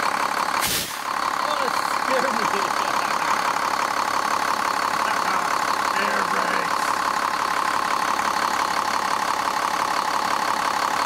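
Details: 2001 Cummins 8.3L ISC diesel in an American Coach RV, just restarted after a fuel filter change and a re-prime: steady, even diesel clatter at idle with a brief air hiss; no misfire or knock, running great.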